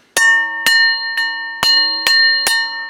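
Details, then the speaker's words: Double-barrel break-action shotgun inspection, barrels tapped up and down: six clean taps about half a second apart, each ringing clearly like church bells; barrels and rib sound solid. "that is what it should sound like it should sound like church bells"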